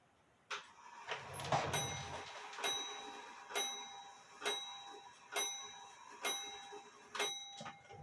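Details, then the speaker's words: Drop dial case clock, wooden-plate double fusee movement believed made by Meyer around 1860, striking only on the hour: about eight clear bell strikes evenly paced roughly one per second. Normal hour strike. "I'm gonna should show you what the chimes I'm sorry the strike sounds like it only strikes on the hour"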